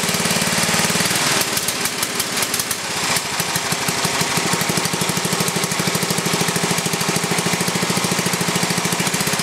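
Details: Briggs & Stratton 11 hp flathead single (model 25), first run after a year idle, cold start at about 60°F after a night in the 30s: rough start, then a steady even putt of about 160 beats a minute; runs well, burns a little.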